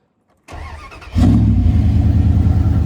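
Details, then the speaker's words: Truck started after new spark plugs gapped to 0.035, air cleaner off: brief crank then steady even idle with no stumble or miss, loud badly hacked exhaust; normal cold start. "like it starts up pretty good. It doesn't seem like it has that little miss or anything. It sounds good,"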